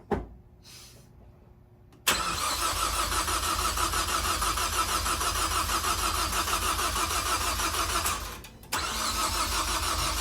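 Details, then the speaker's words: Ford Focus ST turbo engine, first start after rebuild (head gasket, camshafts, timing): long steady starter churn at about three beats a second, a pause, then more cranking; never catches; they suspect it just needs fuel through; extended crank, no start. "Yeah, okay. It probably just needs to get fuel through. Go ahead and do it. Let's try her again."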